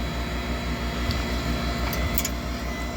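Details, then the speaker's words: Furnace inducer motor running on a cold-weather no-heat call: steady low hum with soft even pulse, no rubbing or rattle; manometer reads -2.65 in. w.c. against -1.74 needed, so inducer is strong enough. "and guys look at this 1.74 that's what I need and I'm at- 2.65 so this inducer is definitely strong enough"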